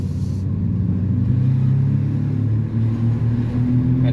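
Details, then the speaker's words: Car after brake repair (banjo bolt checked, firm pedal): a low, steady drone under road rumble that firms up as speed builds. Wheel bearing hum. "so the brake pedal feels great car stops just fine but man this car sounds rough just when you start to get up to speed you could definitely hear that wheel"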